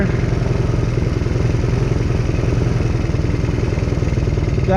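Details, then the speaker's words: Chinese 125cc kids ATV after carb cleaning and new spark plug, idle just adjusted down, air filter off: quick even exhaust pulses at fast idle, no stumbles or clatter; much smoother with more RPM than before. "running a lot better than it was before a lot smoother getting way more RPM out of it"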